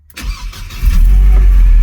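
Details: 2001 Mercedes SLK 170 after fixing a "Start Error" message, fault code P202C-8 and a no-crank no-start by fitting a second-hand ECU, DAS module and ignition lock: a short crank catches within a second and settles into a steady, even idle, a clean normal start.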